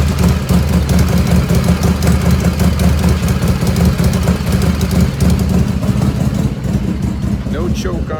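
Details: 1985 Harley FXRS Evo, carburetor just reassembled, battery had been dead: loud deep lumpy potato-potato idle holding steady without stumbling; idle jet mixture pretty close.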